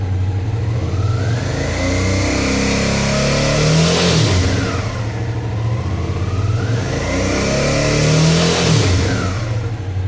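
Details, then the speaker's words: Suzuki V-Strom 650 twin revved twice; a metallic buzzing rattle near the engine appears around 5000 rpm, caused by a loose footpeg support bracket. "daqui um barulho perto do [Música] motor então é um barulho meio metálico"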